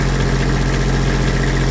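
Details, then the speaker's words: Allmand Nightlight Pro 2 light tower diesel that cranked but wouldn't start, now running with the shutoff solenoid disconnected and held in the run position: steady, even run with no knocks or misses, showing the fault is electrical, not fuel. "So, if you got it disconnected like this and it starts up and runs, that means the problem is electrical. It's not fuel because it's actually running."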